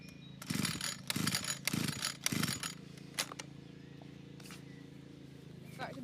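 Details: Old free Stihl FS 81 strimmer, choke on, start position: four quick rasping recoil pulls about a second apart, none catching; won't start, cause not confirmed.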